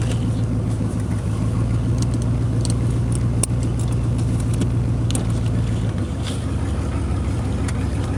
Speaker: well that was my broken exhaust pipe on my 1986 Camaro um well I guess we'll be fixing that tonight because I'll be uh sure to get pulled over if I drove that thing around much longer